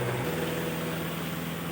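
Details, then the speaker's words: New LG washing machine spin-drying while soapy water drains continuously through the outlet: even low motor hum under steady hiss, no knocks or scraping; normal spin and drain. "ആ ഉലയ്ക്കുന്ന വെള്ളമാണ് ഈ ഔട്ട്ലെറ്റിൽ കൂടെ പുറത്തോട്ട് continuous ആയിട്ട് പോയിക്കൊണ്ടിരിക്കുന്നത്. തുണി കഴുകി ഉലച്ച സോപ്പിൻ്റെ വെള്ളമാണ് ഈ പോകുന്നതെല്ലാം."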